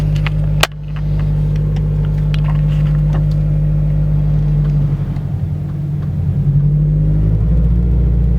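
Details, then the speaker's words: Subaru BRZ/FRS/GT86 pulling away and cruising after removing the transmission to replace the throwout bearing: deep, even engine rumble with no whir or chirp from the clutch. The bearing noise is gone and the clutch and drivetrain are normal. "I don't hear that they're all bearing noise anymore so I'm about to pull at the garage and see how it goes"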